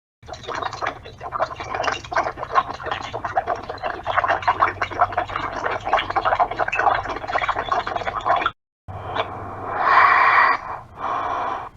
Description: Called my friend and instead of the calling tone I heard this.